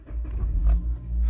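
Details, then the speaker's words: Suzuki Grand Vitara 2.0i 103 kW petrol, 49,840 km, keyless start at about 10 °C outside; quick catch into steady even low rumble at idle, no knocks or rattles. Normal engine start. "Já to teďka nastartuju. Ať to vidíte, slyšíte, jinak je tady klíček. Startuje se tady bezklíčkově samozřejmě."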